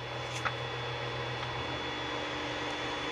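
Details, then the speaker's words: Creality Ender 5 Plus 3D printer after upgrading to the v2.2.1 silent mainboard, during bed leveling: soft steady low stepper hum as the bed moves with faint power-supply fan hiss, smooth and quiet, normal. "is so quiet and we just got to change out those fans on the power supply and stuff"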